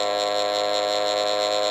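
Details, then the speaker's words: Old Bedini-style ten-coil pulse motor kit, run below its intended 24 V at about two amps and climbing: steady bright pulsing electric buzz, smooth and even as the rotor spins up; running normally. "I mean this really needs to be at 24 volts of course but we just wanted to get it running I would do it their all look over everything and so you can hear it kind of buzzing up there once it gets up to speed"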